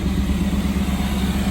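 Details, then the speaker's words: 1992 Camaro RS, Chevy 305 V8 with 700R4, first start after months sitting: steady, even rumble held at a fast idle with no dip or hunt; the engine is idling higher than it should. "it was like it's been so freakin long it's idling really high but"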